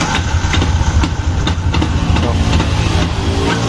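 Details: Yamaha Jupiter MX King engine won't idle without throttle: uneven dragging knocks about twice a second sharpening on throttle blips, noisy starter/dynamo rotation; broken starter one-way clutch rattle.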